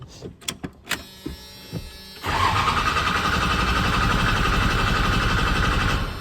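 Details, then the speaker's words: 1996 Dodge 2500 diesel near operating temperature, cranked on the starter with the fuel shut-off solenoid unplugged: a few clicks, then a steady, even cranking beat about four per second with no loping, so compression is even. "yeah I would say we got pretty even compression cuz it's not loping or nothing"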